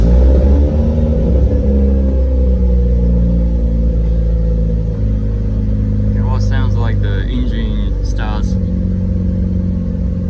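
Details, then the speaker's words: Mazda RX-7 FD3S rotary after an oil change, run for about a minute to circulate the new oil. Steady, slightly lumpy low idle with an even drone and no knocks or misses; owner says it sounds slightly smoother than before. "slightly smoother than before i don't know why but it sounds slightly different"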